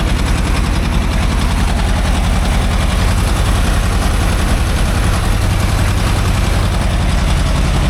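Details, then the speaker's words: Old abandoned Asplundh JEX Chuck n Duck wood chipper, probably 1960s-70s, sold as non-running, first start, choke off, hand clutch disengaged, oil pressure showing: low steady thumping idle, no misses or knocks, holding speed; runs healthy, purrs. "Did not expect that. I mean, this thing purr like a kitten."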